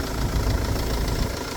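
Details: 2011 Mercedes-Benz Vito 113 with the OM651 diesel, first start after timing chain tensioner replacement. A short burst of even diesel clatter at a steady idle, no rattle: normal idle.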